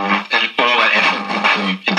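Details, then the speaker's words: 1947 STC Bantam C141 valve radio after restoration (reseated valve, filter caps), powered up slowly to about 200 V: clear music comes through steadily with no hum, crackle or dropouts; receiving normally. "staying well what do you know the stuff works out cool it's a goer it's a goer"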